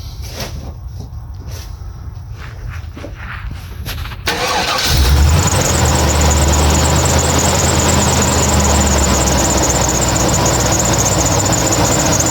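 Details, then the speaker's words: 2000 GMC K2500, 7.4L Vortec 454: a few seconds of cranking, then it catches and settles into a steady, even idle; replacing the faulty MAF sensor, which read way off, cured the hard starting after sitting. "and it seems that replacing our last airf sensor is which our starting problem because you can hear y now"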